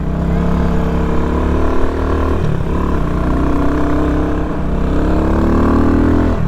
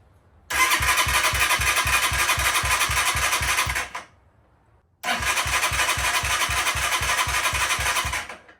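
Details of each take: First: Small X-Pro 150 cc dirt bike bought on Amazon, first ride on street tires; revs cleanly and evenly through the gears, pitch rising and falling smoothly with the throttle, running healthy. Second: New Amazon motorcycle, first start with choke on, tank about 3/4 full: two bursts of steady starter cranking about four turns a second without firing; no-start from lack of fuel, later confirmed.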